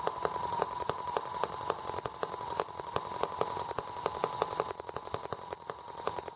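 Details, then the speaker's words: R18 model engine on first start with a replacement Hall sensor harness; ignition now sparks. Sharp, uneven clicks about four a second with a shaky, unsteady beat. Rough running from a serious imbalance, cause unknown; owner wonders about the water reservoir. "Alright, well, now I need to figure out why it's so unbalanced."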